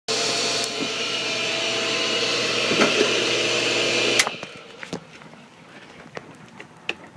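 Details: Pool pump motor: loud steady whine with low hum for about four seconds, then cuts off; owner suspects shaft seal or bearings/bushings starting to fail; not confirmed.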